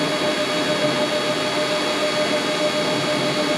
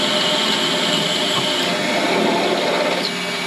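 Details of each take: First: Mini lathe drilling into stock on tailstock, locked tailstock, cutting oil applied, feeding slowly; steady even motor whine with fixed high tones, no chatter or squeal; normal center drilling. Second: Mini lathe drilling steel, speed raised for drilling: hissy scraping cut shifts and drops as the drill passes through the pilot hole and bottoms out, handwheel going hard; stop drilling here.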